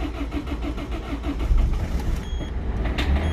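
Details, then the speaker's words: Peugeot 206 DV4 diesel, started on a cold day right after injector seals were replaced: engine catches and settles into an even diesel beat with little clatter; healthy start. "l'a donc le véhicule a très bien réagi qui est bien démarré"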